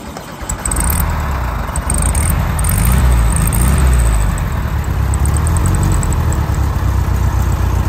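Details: 1973 VW Standard Beetle with new fuel pump and front exhaust baffles knocked through: engine catches and settles into deep, throaty, fairly even idle with slight lope; sounds healthy, deeper than factory tone.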